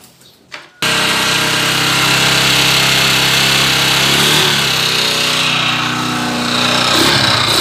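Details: Honda TMX 155 motorcycle engine stored over a year, owner says noisy; starts and runs with a loud harsh clatter and rough knock about four beats a second: connecting rod knock.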